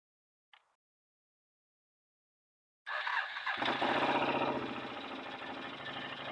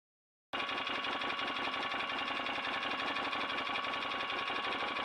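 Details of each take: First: 2008 Can-Am Outlander Max XT 500 with overheating and limp mode. Aftermarket cooling fan forced on by unplugging the sensor kicks on with a loud, rattly scraping whir as the blades rub against something. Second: 2008 Can-Am Outlander Max XT 500, which overheated, blew the fan fuse and went into limp mode. Aftermarket fan forced on by unplugging, after an earlier rubbing noise was addressed: a steady airy whir with a faint high tone and no scraping. Normal.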